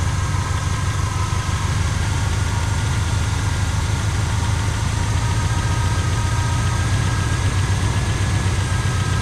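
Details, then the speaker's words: 1985 Pontiac Trans Am barn find, 34,000 miles, parked since 1998, first start after the stuck carburetor pump was freed: deep, steady V8 idle with an even burble, no knocking or missing; running normally. "That is too bad. Sure sounds good though, don't it people?"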